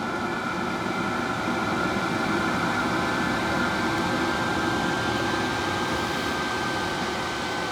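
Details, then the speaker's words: Cheap eBay diesel heater, loud while running, after being switched into its off cycle: steady fan roar with faint high whistle easing as burn slows, remaining fuel is used and fan lowers; normal shutdown cycle. "and once you've once you've started the off cycle it slows down the burn and it uses up the fuel that's in there lowers the fan it starts to calm itself down before it turns off"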